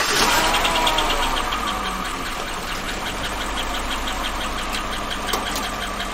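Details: 2014-2015 Chevy pickup, L83 GM V8: light sharp ticking three or four times a second over a rough idle, quieter than a collapsed lifter; suspected lifter or valvetrain, unconfirmed.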